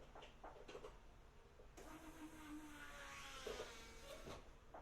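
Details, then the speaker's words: Turbocharged Pulsar after an engine swap, fresh oil in and tune not yet uploaded, before starting; a quiet, short, steady hum rises for about a second; the fuel pump priming normally. "all pump sounds like it's Prime so let's do it"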